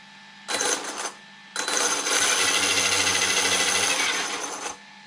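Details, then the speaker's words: Traxxas X-Maxx 8S RTR after rear cush drive bearing replacement: two throttle bursts give a high thin whir with gritty chattering rattle; broken pinion gear and bad motor bearing. "it's sounding like a bad motor oh i see it's got a broken gear there we go there's the culprit a broken pinion gear and it sounds like a bad bearing in the motor"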